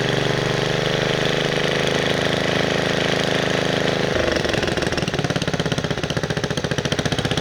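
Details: 1969 Bolens 850 tractor with Wisconsin S8D 8.25HP engine, after setting points and carburetor initial adjustment: runs smoothly, then a rough uneven pounding knock rises at high RPM; cause not pinned down.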